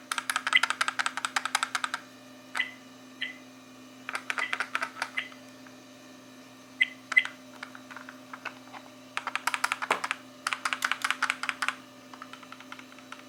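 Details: 1080p Novatek car DVR rear-view mirror, new from purchase; quick bursts of light dry clicking each time the unit moves, quiet in between: something loose rattling inside.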